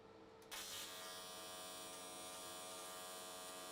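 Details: AC TIG on an S13 catch can at 95 Hz square wave, new settings: arc strikes and settles straight into a steady, even buzz with no crackle or wander. Stable arc; welded all the way around in one session.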